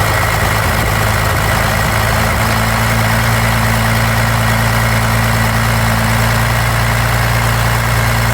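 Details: 1993 Dodge D250 12-valve Cummins diesel steady idle with a loping beat about once a second, a cylinder dropping out; injectors, lift pump, solenoid replaced, valves adjusted, 400 psi compression all six; owner suspects injection pump.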